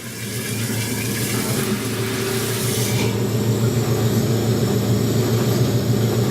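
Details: Maytag A407 washer converted to A606 two-speed setup, large load, after 45-second timer pause: motor hums low and steady with water rushing through drain at start of 4.5-minute drain and spin; no knocking or grinding, normal.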